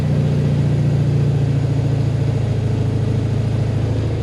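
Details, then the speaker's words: Mazda RX-7 FC3S rotary engine just remote-started by a newly installed Compustar CS920-S: steady, even rotary idle with a low, smooth burble. No starter grinding once it is running; normal rotary idle after start. "Beautiful. It's working. And it's not grinding because the starter's not running the whole time."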